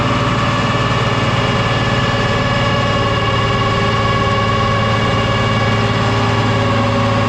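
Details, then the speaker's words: 1974 John Deere 7520 diesel tractor (year also guessed as '79) labouring on an M&W PTO dyno, with the injection pump suspected out of time: an uneven throb of about 220 pulses a minute, with pulse on cylinders 1 and 4. It went from 80 to 87–88 hp; injectors or pump are suspected. "$80 horsepower first round, and it spit and sputter real bad. We still got some pulse on 1 and 4, but we made 87, 88 horsepower that round."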